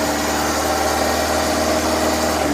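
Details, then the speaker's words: Daihatsu Taruna/Feroza carburettor after making the primary power-jet piston work: even, steady idle with constant low drone, no hunting, misses or surging; primary no longer over-fuelling. "artinya ini untuk eh setelah kita fungsikan tadi piston powerjet di bagian primer tidak kelebihan bensin lagi"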